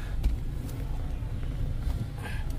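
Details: Mazda CX-5 2.0 petrol, previously with cylinder 2 misfire (P0302) and ignition coil A secondary circuit code (P2302), idling after coil swap/repair, check engine light off; low, even idle hum, no stumbles; running smoothly.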